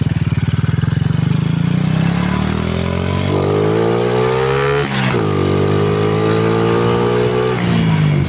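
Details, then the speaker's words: Motorcycle after fitting an N-Pro (CarbonPro) carburettor, air jet 32 and fuel jet 120, light one-handed test ride: engine pulls up smoothly from low rpm with a steady climbing note, no stumble or bog; throttle response clean after tuning. "อ่านี่นะครับก็ติดมือนะครับอ่าไม่ไม่วอดไม่วูบนะครับ"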